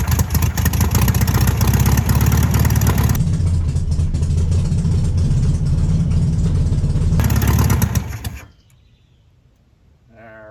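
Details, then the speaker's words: 1968 VW Beetle air-cooled engine, first start after sitting 35 years: catches and runs rough and uneven for several seconds, then fades and dies; carburetor suspected gummed up. "Did you give the camera a thumbs up? Yeah, but it died as soon as I did."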